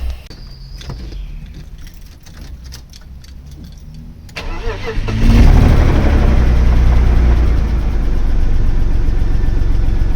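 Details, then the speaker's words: M50B30 stroker compact, mapped for a catless exhaust, started after sitting a few months: it cranks, catches and settles into an uneven, lumpy idle, with the exhaust banging off the underside. The catalytic converter glowed red and was found blocked and broken apart. "perhaps it's a bit lumpy um on stage like it was you know they seemed to appear a little bit um that noise is the exhaust banging off the bottom of the car"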